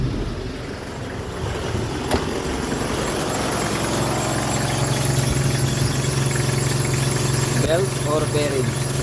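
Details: Car engine idling: thin steady squeal with an occasional faint chirp; suspected slipping V-belt, to be replaced.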